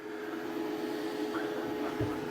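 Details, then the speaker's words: WFCO WF-5110 1000 W inverter newly DIY-installed in an Airstream RV, switched on: quiet, steady mid-pitched hum with faint airy whir, no vibration, crackle or cutting out; normal inverter running. "Sounds like it's not doing anything bad, like vibrating or anything."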